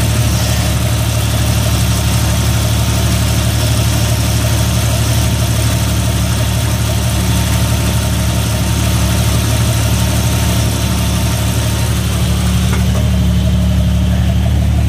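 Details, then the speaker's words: Jeep XJ with newly fitted hydraulic assist steering, at idle while the wheel is cycled slowly to bleed it: faint wavering groan rising as the wheel turns; power steering aeration, air still trapped in the fluid. "oh yeah it's getting there still got some air in it though just keep cycling it slow you know"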